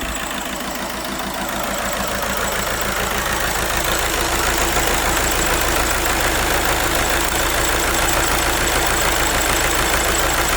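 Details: Škoda Superb running on three cylinders, with a compression test planned to find the cause. Uneven, lumpy idle with a regular stumble about three times a second and the engine shaking: misfire and rough idle.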